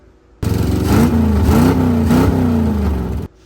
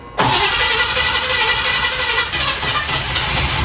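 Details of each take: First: 1956 Chevrolet Bel Air 265 V8 on long-tube headers with no mufflers: brief raw blatting roar as it revs up and drops, far too loud; open headers, before fitting 24-inch Cherry Bomb exhaust with turnouts. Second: 1956 Chevrolet Bel Air 265 V8, previously locked up and freed, cold start with no throttle pumps: cranks briefly, catches without hesitation and settles to a steady, even low idle. Normal cold start.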